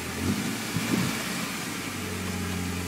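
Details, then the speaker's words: Toyota engine after cleaning the idle air control valve inside the throttle body; it had started roughly with smoke before. Now an even, steady idle with a soft low rumble and no misses or stumbles. "and uh it's running good now"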